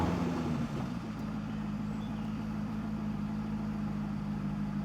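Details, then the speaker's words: 2011 Chevrolet Corvette 6.2 L V8 with P0300 code and power loss, idling: uneven, stumbling low beat with wavering drone. Scan tool shows misfire counts on cylinders 2, 4, 6 and 7 and more, all cylinders misfiring. "So this over here confirms the code that we have in the engine computer. So all the cylinders are misfiring."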